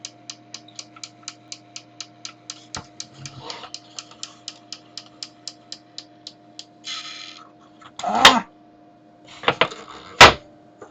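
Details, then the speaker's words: Fisher Price music box record player, wind-up, while being oiled with sewing machine oil: steady light ticks about twice a second, traced to a split plastic gear wheel catching on the lead screw. "I'd still like to find where the ticking is coming from and uh get rid of that"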